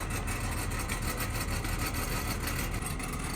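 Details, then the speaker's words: Modern BMW idling with a loose, uneven metallic rattle: the exhaust valve actuator's bow spring broke and fell out, so the valve flap rattles inside the muffler pipe; fix is replacing the spring. "The lack of tension from that missing spring allows the valve flap to rattle inside the muffler pipe, and that's that terrible sound you hear."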